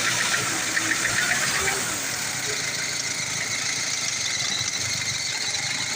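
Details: Old-model Ford diesel, formerly hard starting, after injection and injector work: engine catches and settles to a steady, even idle with no misses or knocking; sounds healthy.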